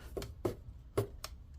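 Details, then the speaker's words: MSI GE66 Raider laptop lid opened and closed fast, giving four sharp plastic clicks: the hinge mount is very loose with broken plastic pieces. "Okay, if you open and close it fast, I hear that clicking sound, and that's what the customer was kind of like mentioning."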